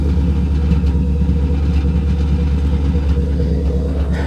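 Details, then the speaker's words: Car with 96,000 miles, slight tapping noted elsewhere, idling low and heavy, stumbling and shuddering unevenly as if it wants to stall; owner says it sometimes dies when it acts up; rough idle, cause unclear. "you can hear the idle hear it cutting up hear that it's just cutting up"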